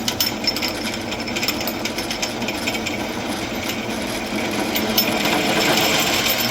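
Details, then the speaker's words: While drilling holes in 1/8 in. steel with a larger bit and oil, for an electric CR80 motorcycle conversion: rapid uneven rattling and shrieking chatter that gets louder near breakthrough. It signals slowing down and easing pressure so the bit doesn't stick. "When you start to hear the chatter, that means slow down. You'll feel it when it starts to get to pass through the metal. It'll feel kind of rough."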